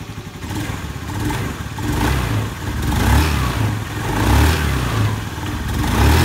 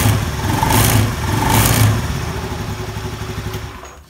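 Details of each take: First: Honda Beat scooter revving in even swells after CVT service with a new pulley bearing, re-checked after a rubber shim was fitted because it had still made a rek-rek roughness on throttle; the drive now sounds smooth, free of judder. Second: Honda Beat scooter, CVT recently serviced and pulley bearing replaced: engine blipped twice, coarse rek-rek rattle under throttle; CVT cover then opened to look for loose parts.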